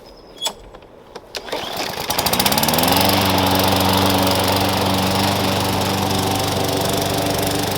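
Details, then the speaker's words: Push lawn mower that sat for years, revived with new blade, blade bell support, air cleaner and cover; rough pulls, then catches and settles into a steady, even drone while cutting grass, healthy under load. "gave the grass a quick trim yesterday but i missed a few spots so let's get this thing going and see how it cuts"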